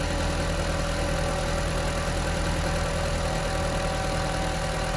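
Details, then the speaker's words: 229,000-mile Audi TT turbo on the dyno after reconnecting a detached intake pipe and refitting the dipstick tube: steady, even engine note with firm low rumble, no hiss or stumble; power regained after fixing air leaks. "Well, that sounds better. couple of pulls there. And we've gained some power."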